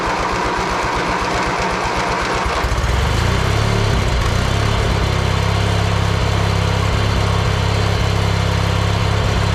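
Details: John Deere 116 riding mower stored about two years with mice nesting in the engine, jump-started: slow cranking for two seconds, then fires and settles into a strong, even run with no knocks or misses. Normal running.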